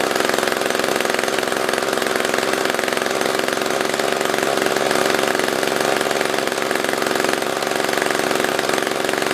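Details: SRM-210 trimmer after repair (new carb, fuel filter, plug, fresh gas, handle), tank refilled: crisp, high two-stroke buzz holding steady and even throughout, no surging; normal running.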